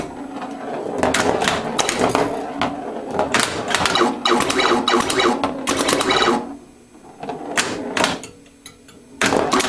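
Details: Atari Space Riders pinball: sharp pop bumper snaps in quick uneven bursts over the rolling ball after the fuse held at power-on; the dead pop bumper fires properly again.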